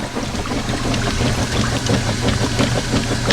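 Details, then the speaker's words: Washing machine agitating for comparison, with no worn agitator dogs noise: steady low churning, even back-and-forth swish about three strokes a second, no knocking or clatter; healthy agitator. "it doesn't make that sound. So yes, you can find out that there is a problem that is pending."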